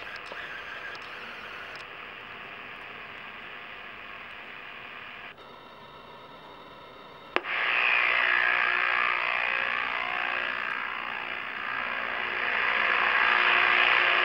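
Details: Realistic Navaho TRC 431 CB radio left on a long time: hiss, then steady low buzz under static after releasing the mic, then click and louder hiss; owner suspects old capacitors, cause unconfirmed.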